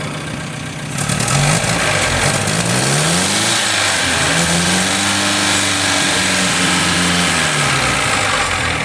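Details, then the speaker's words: Freshly rebuilt MG TC XPAG engine, cam already broken in, cold oil; idles at 600 rpm with 40 psi oil pressure, then climbs smoothly through two blips and drops back to an even idle. Normal revving. "Idling at 600. We have 40 pounds of oil pressure at idle."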